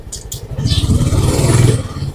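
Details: Honda Supra X 125 PGM-FI ridden in third gear after cam chain and clutch replacement and valve clearance adjustment: strong, smooth engine note with no rattle or tapping. The earlier rattling noise is gone; the engine sounds healthy.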